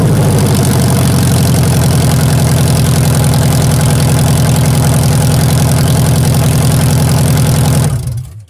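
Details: Toyota Tarago/Previa/Estima TCR11 van started with no exhaust fitted during catalytic converter replacement: very loud, deep, raw bark with even firing pulses, then shut-off; open exhaust.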